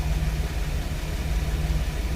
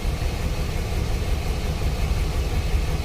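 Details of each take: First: 2006 Chevy Express after diagnosing a P0300 random misfire code (ignition misfire): deep, even idle with steady beat and no skips or stumbles; normal idle, no longer misfiring. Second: 2006 Chevy Express with P0300 random misfire code, cylinders one and two misfiring equally; rough, uneven stumbling idle; idle misfire.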